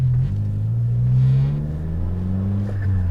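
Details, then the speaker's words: Suzuki Jimny exhaust pulling away slowly, deep loud raspy rumble rising with throttle; holed standard rear muffler (back box) lets the exhaust blow through, sounding nearly straight-piped. "so that is all exhaust but as soon as you put your foot [Music] down that's no just stupid it's silly but it sounds so good"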